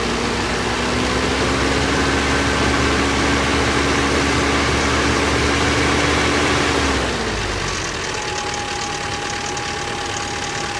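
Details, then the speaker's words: 1985 Toyota 22RE four-cylinder at cold-start idle: a steady rattling knock about four per second that settles as revs drop. The timing chain was replaced but has slack, and the noise worsens once warm. Suspected loose timing chain, not confirmed. "okay guys I decided to do a little video on my cold start of this 22 re 1985 Toyota it sounds terrible as you will see in a second"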